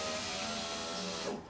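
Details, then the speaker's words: 2006 Honda Civic EX front passenger power window after window regulator replacement, motor not hot. A steady, even whir that stops with a light clunk at end of travel; normal operation, the old regulator was bad. "up down up down there we go yeah not even hot see that other one was certainly bad"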